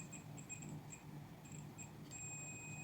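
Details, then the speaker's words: BTS7960 half-bridge DC motor driver module, multimeter continuity test between output and uninsulated heat sink: short chirps then a steady unbroken high beep; dead short, only the heat sink coating separates them. "if you hear in the background you can hear the Peeping so the output is here so if I there we go is a dead short for sure"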